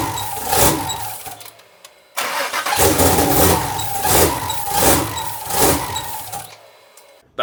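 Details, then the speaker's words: Twin-turbo 1500 hp Mustang first start attempt, with a slight oil leak from the turbo feeds and no base tune yet; starter churns in uneven surges about once a second but never catches, cranking without starting. "We got it to turn on sort of. Um, we have power. It cranks."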